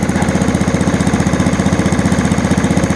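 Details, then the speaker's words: 1987 Snapper push mower with Briggs & Stratton engine (date code Sept 3 1987), choke-start, no primer bulb, put back to idle after starting. Low even idle firing about four per second, no misses; runs great. "So there I put it back to idle. Runs great."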